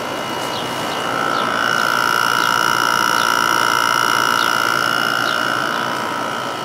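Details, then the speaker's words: Windmill 6,000 BTU window air conditioner in cool mode, recorded from outside: steady high-pitched tonal hum with smooth even whirr, no rattles or knocks; compressor louder outside than inside but running normally. "As you can hear, they did a pretty good job insul uh with the sound insulation. You can't hear the compressor very much inside compared to how it is outside."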